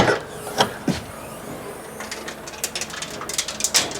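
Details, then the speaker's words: Fiat 500 salvage rebuild: irregular light clicks and small rattles each time the boot lid moves, because the inside of a fitted clip insert fell out and is rolling around inside the tailgate; fix is opening and closing the boot until it drops out. "hear that what that is is when you put when you put these in sometimes a little insert will the inside of the insert will fall and that's exactly what it's done and it's now rolling around inside"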